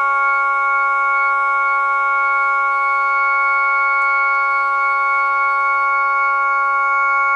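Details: Jensen V21 compression driver in a Leslie speaker, fed by a Leslie 122 amplifier and 1963 Hammond B3 organ, after resetting the diaphragm: steady organ chord rings clean and even with no buzz or rattle; normal output.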